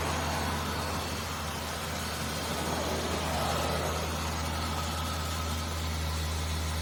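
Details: Ford EL Falcon Futura, abandoned for years, run after repairs with water (no coolant) in the cooling system: a steady, even low idle with a smooth throb and no knocks, misses or squeals.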